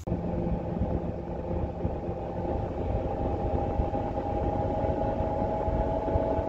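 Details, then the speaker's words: BMW 535i xDrive F10 worn front wheel bearing hub assembly, heard while driving before replacement; constant low rumbling growl with faint droning tone under road noise, grinding increasing with speed; old hub badly rusted. "should have the hub assembly removed all right so the four bolts are removed and I just wanted to show you guys the grinding noise see that's why we we're changing it it's really grinding it's really bad"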